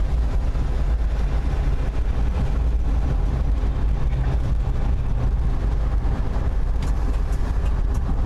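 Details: Valiant while driving, recorded down at the floorboard after starting in manual low and the transmission shifting to second on its own: a steady low rumble and drone under the car with a faint hum on top. The drivetrain noise source is unidentified.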